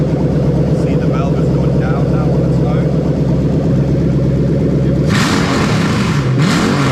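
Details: Lexus GS430 3UZ-FE VVT-i V8 on a half cut with new plug-and-play harness for IS200 swap: engine catches and settles into a steady, even low rumble, smooth idle with no knocks or misses, running normally.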